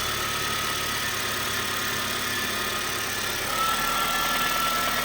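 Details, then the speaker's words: Honda Fit GD3 after its first valve adjustment, warming up at idle: a light regular knock, about three per second, over top-end clatter, persisting after revs; owner unsure whether it's rod knock or normal Honda noise; loud crankshaft pulley noise also present. "All right, so definitely some sort of knock still. I don't know if it's just Honda noises."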